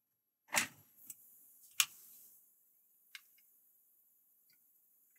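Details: Sony Vaio P11Z netbook that would not power on, being powered up for repair: a few sharp isolated clicks about a second apart over a quiet room as the hard drive spins up and settles; the drive sounds healthy.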